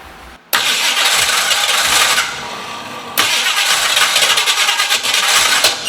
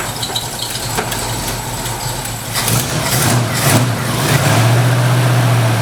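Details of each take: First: 1968 Ford Mustang with fairly fresh battery and timing retarded slightly, cranking and chugging in uneven bursts, half-catching then dropping off; misfire and no-start. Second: 1968 Ford Mustang catching and settling into low even rumble after jumping 12 volts to the ignition coil fixed bad voltage; some belt noise owner will tighten; normal running.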